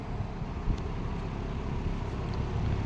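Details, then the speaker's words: Late-1960s Eskimo 3-speed box fan on low speed at 120 V, drawing 1.6 A: a soft, steady low rumble and airy whoosh, with the knob rattling and the badge buzzing. Otherwise it runs normally. "So here is low speed. Hear that knob rattling. This is a very nice low speed."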